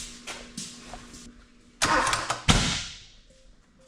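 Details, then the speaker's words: Honda K24 engine swapped into a sandrail with a newly installed harness and ECU: the starter cranks in short bursts but the engine never catches and runs; the fuel pump does not kick on, so it cranks with no start. "That fuel pump didn't kick on when it was tanking."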